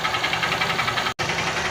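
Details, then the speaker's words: 150 cc motorcycle engine at idle: quick regular metallic tapping about eight a second, knocking hard at idle and more with slight throttle; worn connecting rod (biela), to be confirmed by opening the engine. "batendo muito na lenta acelera um pouquinho bate mais"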